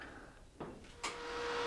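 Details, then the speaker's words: Greenworks CU800 82V electric UTV charger plugged into a 15 amp supply: a click, then a soft whir and steady hum building as the charger fan starts, with a flashing red light. Normal, healthy operation. "and then you'll hear the fan start on the charger and the light flashing red"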